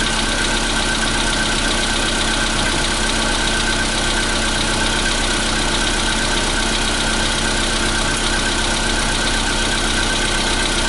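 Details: 2015 Volkswagen Polo Sedan, CFNA engine, cold start at 0 °C air temperature: a steady cold idle with an uneven ticking knock over the engine note; cold-start knock, source not pinned down.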